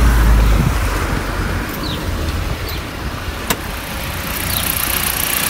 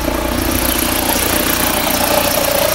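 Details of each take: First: Fiat Freemont 2.4 petrol, started cold with the air conditioning still off: low, even idle hum with no belt squeal or chirp. The belt noise had been blamed on the AC compressor, but the compressor was not the cause. Normal idle. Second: Fiat Freemont 2.4 idling with the AC compressor engaged: steady mid-pitched squeal from an overlong drive belt slipping under compressor load; compressor had been wrongly blamed; fix is a new 6PK 2563 or 2565 belt.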